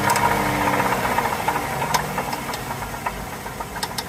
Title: 3.6 pentastar tapping and ticking noise, see my channel for the solution.